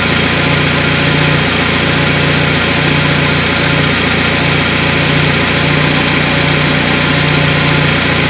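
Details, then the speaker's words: Carburetted car with LPG kit, running on gas after reducer membrane and idle speed setup: smooth, even, steady idle with no hunting or stumbling; idling properly. "я вот она работает ровно и стабильно"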